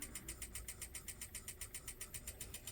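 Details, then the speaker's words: 1985 Pioneer PD-5010 CD player trying to play a disc: faint steady pulsing whir with high ticks about six times a second, motor straining to reach speed, no audio output; disc spindle struggling to spin up, cause suspected, not confirmed. "Press play. You can hear it really struggling to play."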